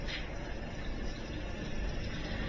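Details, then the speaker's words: GE top-load washer that beeped twice and stopped after filling, after lid switch replacement and faulty motor replacement: steady churning and sloshing, motor turning the load normally with no beeping; repair fixed it. "yeah it's working fine that motor is turning that load just like it's supposed to"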